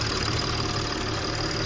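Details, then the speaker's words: Audi A8 D5 diesel idling after fitting a replacement high-pressure fuel pump where everything had been leaking (tappet replaced half a year ago); previous pulsing sound from the pump gone, steady even low rumble, no knock or tick. "Тут всё текло, всё поставили наш ТНВД. И сейчас звука повторнего я не слышу."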